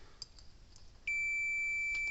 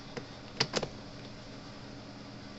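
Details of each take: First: Cyclops Boss electric fence charger repair, meter checking a circuit board: after a second of quiet, a steady unbroken continuity beep shows the board is shorted and bad. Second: Cyclops Boss electric fence charger on 120 V input after the capacitors were charged during repair: sharp, crisp clicks about every one and a half seconds, a working pulse, though it is not flashing because of a bad fuse mount.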